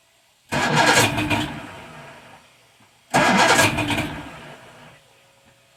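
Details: Roughly 1978 Evinrude 150 outboard on a 23 ft boat, cold, choke applied then pushed in, no throttle: two cranking bursts fading out without catching; hard cold start, later needs a little throttle.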